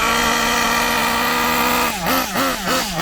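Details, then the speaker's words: Kyosho MP9 nitro buggy engine during needle tuning: steady drone that bogs and surges in lumpy bursts, sluggish from too much fuel; mixture too rich. "Right, she's running, but she don't want to run well with this rich. That's how rich she is, right? Now the reason it's sluggish like that is because it's too rich."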